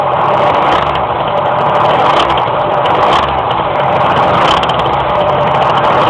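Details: Engine struggling to climb in revs while driving: a steady road drone with revs hanging and labouring under load; engine hesitation under load, cause suspected but not confirmed.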